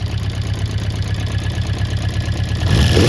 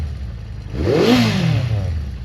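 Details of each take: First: Honda CB400 Four, cold start on a freezing day after loose tappets reset to 0.05 mm: slightly rough four-cylinder idle with light rapid clicking about four a second over the exhaust beat; remaining valve-area tick, cause unconfirmed. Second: Honda CB400 Four after tappets reset: quick throttle blip falls back to a steady tick-over, clean exhaust note with no mechanical clatter; quiet, smooth, valve noise cured.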